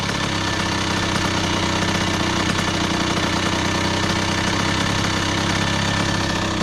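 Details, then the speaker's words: 2001 Honda CR80 two-stroke, previously suspected of knocking, during idle screw adjustment by flat-head screwdriver: steady, even idle with a crisp rapid beat and no hunting or surging. The idle speed is now set right, not too high. "I think that's definitely it but I don't want it too high you know I don't like yeah I don't like when the idle be too high man on on bikes y'all they gotta make sure it's nice and perfect"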